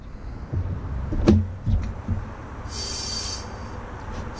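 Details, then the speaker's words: 1999 Honda Civic Si stock B16 engine, leak-down test with the cylinder at top dead center: clunks from handling, then short bursts of sharp airy hiss as compressed air escapes past worn exhaust valves and rings. "yeah it's leaking pretty good it's actually holding there too it's actually holding a little bit of air I can hear it coming out of right"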